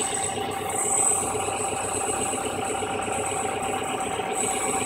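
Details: Subaru EJ22 flat-four idling unevenly with an irregular lumpy rhythm; mass airflow sensor with bad intermittent connection, pressing the MAF housing restored smooth idle, fixed by replacing the sensor.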